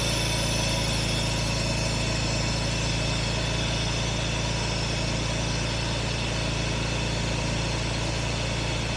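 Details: 1967 Jaguar Mark 2 idling during an alternator load test (charging 13.4–13.5 V; the test later reads 13.7 V loaded, 13.75 V unloaded): smooth, steady low hum, no hunting or misses; normal idle.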